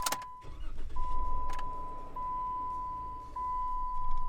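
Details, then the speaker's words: 2013 Jeep Wrangler with new, not yet programmed key: engine cranks and catches briefly, then cuts out with a steady warning tone as the immobilizer rejects the invalid key. "heard it start and then it died because it's not a valid key"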